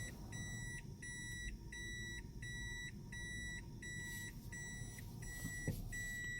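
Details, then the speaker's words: Toyota Aqua hybrid in Drive on electric motor: a steady high electronic tone pulsing on and off about twice a second over a faint hum from the under-bonnet pedestrian warning sound device, working normally. "ये आवाज़ आ रही है आपको? ये साउंड जो आ रही है ये इस डिवाइस से आ रही है। ये इसको एक कार को, इलेक्ट्रिक इंजन को एक साउंड दे रही है।"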